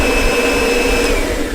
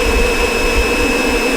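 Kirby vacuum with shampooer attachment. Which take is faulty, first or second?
first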